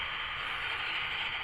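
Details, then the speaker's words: ATS200 LW/AM/SW/SSB/CB/FM/Airband radio tuned to a weak station via a mag loop antenna in a docking station: raising the telescopic antenna brings steady hissing static and the station is lost to interference; lowering it restores reception. "now when I pull the antenna up I lose the station for interference you listen it's so you can hear that noise now"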